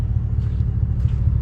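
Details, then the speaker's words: 2018 Cadillac Escalade V8 after DOD delete with BTR cam, LS7 lifters, shorty headers, Magnaflow muffler and flapper valve removed, fixing a lifter/pushrod tick: deep, even idle rumble slightly louder than stock, no ticking; normal idle. "You can just barely tell it's a little bit louder. It's definitely what I was going for. I didn't want it too loud."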